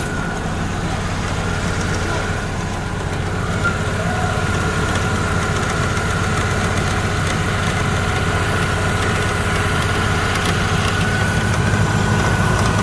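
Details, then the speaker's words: Opel Astra G idling with AC and fan at maximum for electrical load, heard in the engine bay: light uneven metallic chatter; weak worn multi-V belt tensioner vibrating and jumping behind the belt. "chúng tôi có thể nghe thấy tiếng rung, tiếng nhảy của bộ căng đai nhiều gân, tiếng gõ im lặng."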